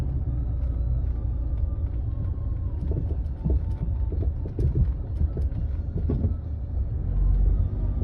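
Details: Land Rover Freelander 2 driving: dull irregular thuds through road rumble over bumps and asphalt joints; silent blocks, bearings, stabilizer link checked fine; worn rear shock absorber knocking.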